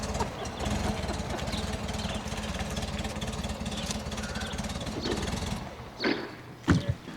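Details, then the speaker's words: 1969 VW Beetle revived after 25+ years unrun, distributor rotor now installed, hood open: steady, even low chuffing idle holding its beat for several seconds; smooth healthy idle. "Look at that run now, wow. That is running like it was fired up yesterday. I'd move that bug. That's unreal, starts right up. So good."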